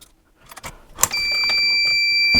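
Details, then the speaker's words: Dillon RL 550C reloading press: metallic clicks and clatter, then a shrill steady electronic tone from the low primer alarm, meaning only a couple of primers are left. "We have hit our low primer alarm, which means we've only probably got a couple left."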